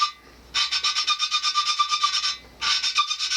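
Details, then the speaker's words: 1967 Wheel Horse 857 Magnum 10 engine valve lapping by hand: quick rhythmic rasping strokes, about seven a second, in two bursts; smoother scrape as seat is nearly lapped in. "you can hear the difference and that's because that heart and valve seat you're obviously not taking as much material off every time you do this"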